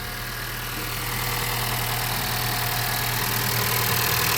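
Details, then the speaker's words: 2014 Honda Vezel hybrid at idle, after the clutch release bearing was greased, two seals were replaced and the robotized gearbox was recalibrated with throttle relearn in progress: smooth, even idle with no whirr or chirp; the release bearing is now nearly inaudible. "Всё хорошо сейчас подшипник вообще по-моему не слышно Да вообще тихенько"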